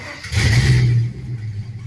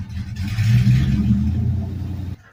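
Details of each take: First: LS-swapped 1948 Ford F1 rat rod after fitting lock-off plates on the purge valve solenoid and EGR valve to stop a big leak: a quick clean throttle blip settles back smoothly with no hiss or stumble; starts and runs much better. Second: LS-swapped 1948 Ford F1 rat rod with open headers and straight pipes: a loud V8 with a lumpy idle and revs that hesitate and surge, clearly running rough. Owner suspects the stock tune, set for mufflers and catalytic converters, and the lack of back pressure.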